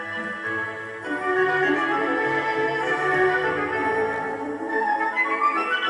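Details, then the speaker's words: Philips 060 MK2 car cassette player with an electronic motor control system, not the old governor motors. Music plays at a steady pitch with no wobble or waver. Tape speed is holding true, with no wow or flutter. "and as you can hear that electronic motor control system is sput on there's no tendency to wow or flutter"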